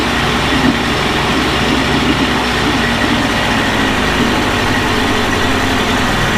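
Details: Early-1980s Mercury 350 35hp two-stroke outboard after replacing head and exhaust gaskets (failed exhaust gasket had let water into cylinders); steady, even two-stroke drone with no misses, surges or knocking; running smoothly.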